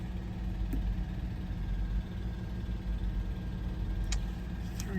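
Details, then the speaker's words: Audi A8 at idle: slightly uneven beat with faint stumble, codes show cylinder 5 misfire and disabled; owner suspects a dead coil pack, possibly the injector, with raw fuel smell. "so cylinder 5 is our one with I'm assuming just a dead coil pack it's immediate um injector could be but I do smell bunch of raw fuel when the cylind when the injector is enabled"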